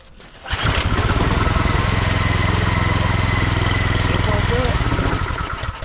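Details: Craftsman snowblower engine that sat two years with fuel, float bowl drained and fresh gas added, choke possibly left on: fires on the pull and chugs unevenly, then fades and dies; starts then stalls, carburetor cleaning still needed.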